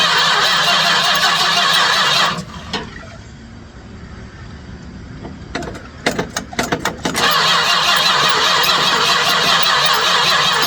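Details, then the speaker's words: 1967 Chrysler Newport, sat for years, cranked with remote starter after fuel poured down carb: starter spins steadily, about three or four compressions a second, pauses, cranks again without catching; mechanical fuel pump not pulling fuel through clear filter. "She's not pulling any fuel."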